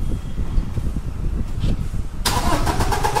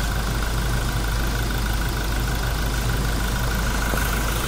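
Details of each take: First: Toyota Innova Crysta diesel with a starting problem: the starter cranks steadily but the engine never fires or catches. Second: Toyota Innova Crysta diesel that cranked but would not start, after all four worn injector nozzles were replaced: a steady, even diesel idle with a smooth low rumble and no misfire or roughness, settling quietly toward the end. Normal idle after repair.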